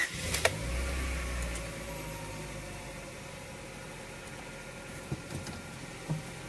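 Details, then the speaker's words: 2000 Honda Prelude SH H22 first start after repairing a six-month surging idle: catches and settles into a quiet, even idle, no hunting, sitting slightly high (suspected throttle cable or dirty intake); normal idle. "oh my god Wow I've fixed it that is so relieving it's a little bit high of an idol which I think could be the throttle cable or just a dirty intake or whatever the case but this is totally tolerable"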